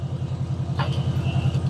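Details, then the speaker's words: 1988 Subaru Loyale saved from scrap, just started easily: steady low engine beat with a busy pulsing rumble, running well but noticeably loud; source not pinned down. "now that goes really good that's impressive um it is a little loud"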